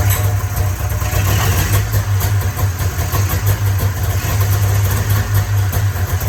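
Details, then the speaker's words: 1994 Polaris Indy 440 two-cylinder liquid-cooled two-stroke snowmobile, sat 12 years, new gasket, running off tank fuel: strong low drone with steady buzzing pulse, even, no misses or knocks; seems to run pretty good. "certainly seems to be running pretty good"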